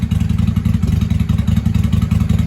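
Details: 1995 Honda Shadow 600 VLX VT600CD V-twin, running after fuel leak work with pinhole still to fix, revved in shop: deep lumpy off-beat pulses rising cleanly, loud like open pipes; "sounds good for a little 600," normal revving.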